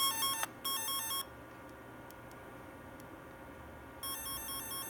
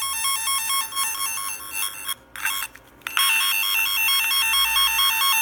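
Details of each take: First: F set twisted-pair tone tracer: warbling stepped tone cuts out for about three seconds then returns, caused by a poor connection, temporarily fixed by wrapping the wire. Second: Repaired F set twisted-pair tone tracer: even warbling two-pitch tone trilling about twice a second, briefly cutting out then coming back strong as tones are switched; a poor connection is still being sorted out.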